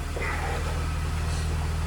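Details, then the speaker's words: BMW E46 320ci convertible started right after an oil and filter change, with the stock paper air filter refitted: steady, even low idle rumble with no knocks, misses or ticks. It runs very smoothly, with no check engine lights. "Ah, look at that. Very smooth. Running like a charm."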